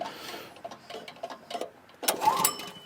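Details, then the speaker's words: Troy-Bilt tiller with 6.5 HP 212cc Predator engine, months-old gas, choke on; quick recoil pulls spin it with no firing, no spark, spark plug suspected loose or bad. "Third pull. Doesn't sound like it's going to start. Nope, I don't think it's going to start, folks."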